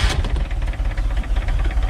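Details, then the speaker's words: Mercruiser Alpha One Gen 1 3.0 L (181 cid) 140 hp boat engine after a tune-up (points, condenser, cap, rotor, plugs, wires, oil change): fires right up and settles into a steady, low chugging idle without stumbling, with no leaks. "All right. That sucker fired right up. Double check, make sure nothing's leaking. Doing good there now. Sounds good. Alright. It's got a good idle to it too."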